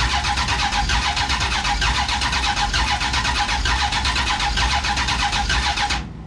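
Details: Big block Duster, first start attempt with fuel present, distributor turned, fuel pump on: starter churns steadily for several seconds but never catches. Spark present, owners suspect the MSD ignition box is bad.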